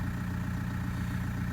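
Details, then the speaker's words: Toyota Prado 120 with 1KD-FTV diesel idling cold during injector diagnostics. Steady, even low rumble with light injector clatter and no misses or knocks; engine said to be in very good condition, though number four injector shows a slightly raised reading. "i've done a video saying you know whether you should or shouldn't worry about injectors and what normal noise is what is and isn't normal noise"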